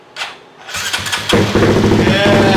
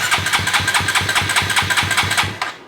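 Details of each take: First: Koso 170cc big bore kit engine (Competition Werkes GP full exhaust, aRacer RCmini ECU) first start after checking fuel lines and spark: brief cranking, then fires into a steady, even, throaty idle; it drew down the oil. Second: Koso 170cc big bore kit engine (Competition Werkes GP full exhaust, aRacer RCmini ECU, new Kitaco catch can) on first start attempt with a borrowed featherweight battery: steady cranking at about four compression pulses per second, never catches; fuel pump suspected unprimed.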